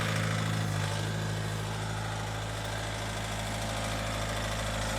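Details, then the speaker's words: Ford Galaxy Mk4 2.0 TDCi idling just over 1,000 rpm with a loud rattly diesel knock and slightly uneven beat, no smoke; one injector suspected short on fuel, knock later cleared via diagnostic unit. "I mean, it is only ticking over 1,000 RPM. just over a th00and RPM, but because of the diesel knock, it makes it sound an awful lot louder."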